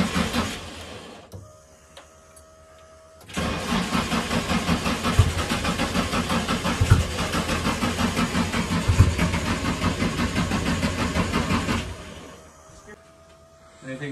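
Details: Nissan 240SX being revived for its first start: steady starter cranking at about three compressions a second for roughly eight seconds, but the engine never fires or catches. Crank, no start.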